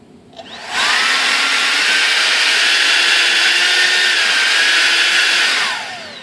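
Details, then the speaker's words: Durafly DH 100 Vampire MK 6 RC jet EDF fan during balancing trials, after it was badly out of balance: steady high fan whine spools up, holds even, winds down; feels smooth but transmits a bit more resonance into the airframe. "that feels pretty good guys seems to be transmitting a little bit more resonance into the frame of the airplane though"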